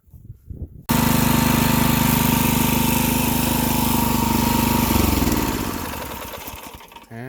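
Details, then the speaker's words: Garden tiller whose previously seized small single-cylinder engine was repaired, running with no clutch: pulls steady and even under tilling load, then eases down smoothly; running great. "it for now she's running great"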